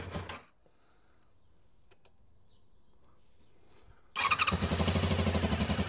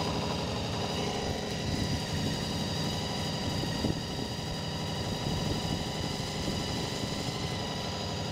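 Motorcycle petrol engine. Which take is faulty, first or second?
first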